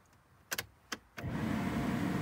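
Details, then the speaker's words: Ford Fiesta ST150 after replacing the blower motor, whose bearings had failed, and the resistor pack: a few switch clicks, then a smooth, even rush of air with no grinding or rattle. Much quieter; fixed. "oh oh listen to that oh it's so much quieter oh that was definitely our issue wow that's so much quieter"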